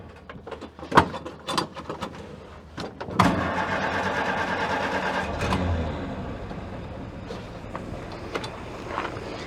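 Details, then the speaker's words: Ford-script Willys army Jeep flathead, not yet warmed up: some handling clatter, then it fires and settles into a steady, even idle that holds without dying; idling normally. "Sounds like an idol to me. Sounds like it's an idol to me too."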